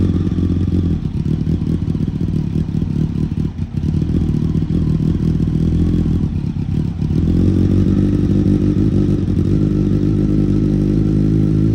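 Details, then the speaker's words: Kawasaki ZX12R motorcycle engine after rebuild, oil warmed up before an oil change: deep, even exhaust at steady idle with a light throttle blip, no knocks or rattles; healthy running. "God, I love that sound. Cannot get enough of it."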